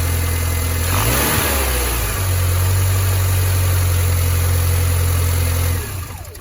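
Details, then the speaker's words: 2005 Mini Cooper 1.6 after a new auxiliary belt tensioner and belt, a few weeks and 900+ miles on: a steady engine note and a quick rev with no belt squeal apart from a possible split-second squeak at first start. "and no squeak at all only that slight Split Second squeak to begin with"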